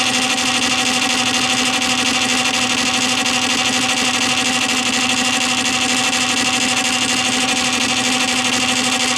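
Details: Columbia Graphophone AH after a motor service in which both dry springs, with powdered grease, were cleaned and re-lubricated, running with no record: steady, even whirring with fine high gear chatter and a constant hum, no knocks or catches. The spring motor runs normally.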